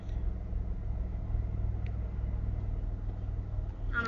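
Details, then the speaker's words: 1992 Camaro RS V6, stock, 147,000 miles, engine hot, recorded on a cell phone. A low, uneven, lumpy idle stumbles around three beats per second and the belts whine, which the owner says it always has. Rough idle, cause unclear. "but it's running relative like it's it's idling a little harsh also the car likes to whine like the belts"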